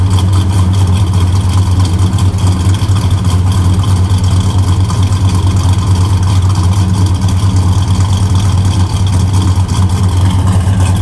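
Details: 1964 Chevrolet Chevelle Malibu, 350 V8, 4-speed manual, 12-bolt posi rear: deep, steady rumble with an even beat and no knocks or ticks; idles smoothly and strong.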